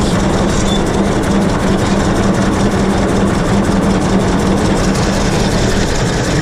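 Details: 1926 Hart-Parr 16-30 tractor, running and driving after its first start in over a decade; slow, heavy, steady thump over a low hum with no knocks or misses, running cleanly.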